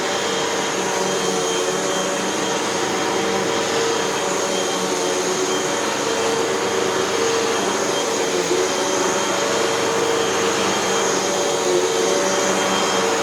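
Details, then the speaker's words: Hoover WindTunnel 2 Whole House Elite with a 12.5 A Ningbo Da Chang motor from 2015, after two new brushroll bearings, a new belt and three feed-tube patches: steady high rushing whine and even motor hum, no rattles, squeals or scraping; runs healthy. "and we have a machine that works just fine as far as i can tell let's take it for a test run"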